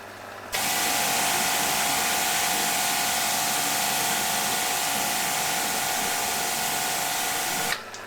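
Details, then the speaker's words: Kranzle K7/122 pressure washer after full rebuild (new switch, seals, plastics, sight glass, oil): pump cuts in cleanly with a steady buzzing hum for about seven seconds, then stops without surging or hunting. Normal running. "Looks like it's working perfectly. That'll do me just fine."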